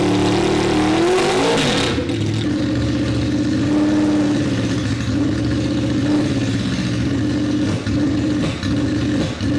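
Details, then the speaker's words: Honda VFR800 with home-fitted Temu turbo disconnected and stock airbox refitted, very loud exhaust: revs climb briefly then sag to a ragged, hunting idle; won't rev, owner suspects fuel starvation, unconfirmed. "It honestly sounds like the bike is starving for fuel. It will sit there and idle, but th"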